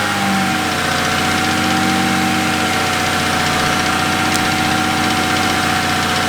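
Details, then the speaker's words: BMW 135i N54 tuned to 800 hp, idling before an oil change after metal found in the oil; rough idle and fuel-trim deviation traced to a faulty fuel vent solenoid. Even idle with a thin whine over busy mechanical clatter. "I want you guys to listen to this noise, and then we're gonna change the oil, and fingers crossed it gets a little bit better so we can go out and drive this thing."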